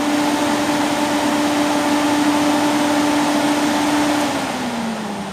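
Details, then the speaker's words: 2008 Peugeot 206 1.4 8V Flex radiator cooling fan commanded to second (high) speed by scanner; the first speed was not engaging. Strong steady hum and clean whir that winds down near the end; high speed normal. "olha agora a e olha a velocidade Olha a força agora tá essa é o segundo"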